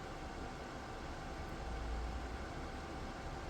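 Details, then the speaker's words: DIY 3D-printed soldering smoke absorber, 12 V 120x25 mm fan turned down via PWM speed controller to reduce noise: soft steady airy rush with low hum, no rattle or ticking, still extracting well at soldering distance; fan healthy. "Як бачите чудово справляється навіть на низьких обертах"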